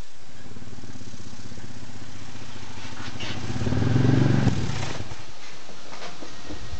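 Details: 2001 Ford F-150 under load with some axle wrap: low steady drivetrain rumble, then one sharp crack near the end; driveline clunk, owner hopes it is a U-joint, unconfirmed.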